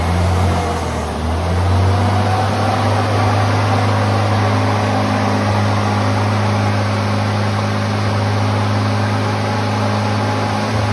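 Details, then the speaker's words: 1978 Ford Pinto cruising wagon, long-sitting: engine holds a fast, steady idle with an even low drone, throttle plates fully closed, indicating a massive vacuum leak somewhere; PCV valve plugs into what looks like a heater hose. "so the way it was running it would run with the throttle plates completely closed completely so that means there's a massive vacuum leak somewhere"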